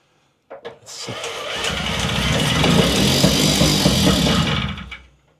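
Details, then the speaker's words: Puch Maxi moped with the original spark plug, choke on and carburetor tickled: short cranking bursts rise and fade, and the engine coughs but never keeps running; fails to start on repeated tries. "okay maybe not it would have been nice to just get on it and it go"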